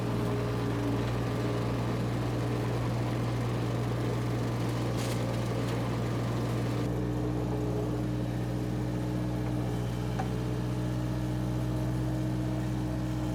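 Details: Power Trac 1850 diesel tractor with the mower on, after all fluids were changed. Steady, even diesel drone with a smooth low hum and mower whir on top, and no knocks or misses. Normal healthy running.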